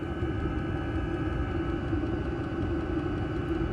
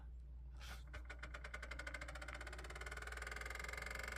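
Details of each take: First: Amazon diesel heater installed under an off-grid yurt, heard from outside underneath after a few minutes running and blowing hot air: steady low hum and whoosh of the combustion fan, even unbroken roar; runs normally, makes a little noise. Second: Amazon diesel heater in a 30-ft off-grid yurt, running off a converter, just powered on before firing: fast ticking spins up into steady whirring buzz; new noise, owner suspects the fan, possibly a bug inside, or the fuel pump.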